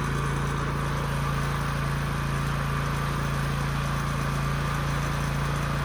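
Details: Husky generator that sat 5 years with bad fuel and a leaking tank, run after carburetor cleaning and a new governor spring, reading close to 61. A steady even hum at constant speed with no hunting or surging: normal run.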